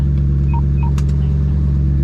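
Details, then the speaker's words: Lowered car started from inside before test drive after exhaust fixes; deep steady drone with a couple of short beeps and no exhaust rattle on the chassis, which it always did before; normal idle. "Ooh! The exhaust didn't rattle on the chassis."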